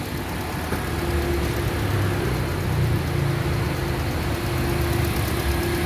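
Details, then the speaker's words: 2008 Honda CR-V after fixing shaking/stumbling idle (cylinder 2 injector dead; one injector replaced, three cleaned, all four coils and spark plugs replaced): steady, even low idle hum, no stumbles or shakes, no warning lights. "ครับผมCVก็เรียบร้อยครับลองมาพ่อเครื่องปกติแล้วนะครับผมอเครื่องนิ่งไม่สั่นแล้วครับผม"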